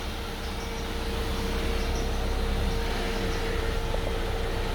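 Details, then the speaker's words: 1996 Chevrolet S10 2.2 EFI: its rebuilt ZF power steering pump, fitted with a new seal, screams with a steady mid-pitched whine over the running engine. Steering is soft for the first two centimetres of turn, then very heavy. Cause not confirmed. "We can hear the screams of the hydraulic pump,"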